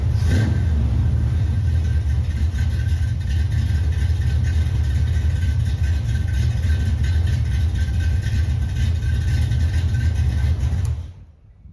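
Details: 1978 El Camino, first start-up after an engine swap replacing a worn-out small block, air cleaner removed: big V8 fires and runs with a deep even rumble through light revving, no misses or knocks, then shuts off cleanly; normal running.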